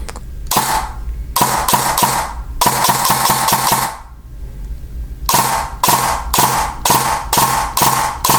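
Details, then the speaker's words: E&L AK12 AEG rebuilt with Arcturus parts, now on an 11.1 V PEC box battery, two-round burst: two quick, crisp shots per trigger pull, repeated cleanly with sharp even cycling; nice and snappy, gearbox healthy. "nice and snappy two round burst that sounds great"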